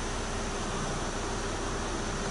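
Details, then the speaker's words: Car's air conditioning working again after a simple fix (not a full compressor replacement); vents read around 10°; a steady air rush with a low hum and no cycling clicks: normal AC operation. "tu não passar condicionado já voltou a funcionar com defeito simples"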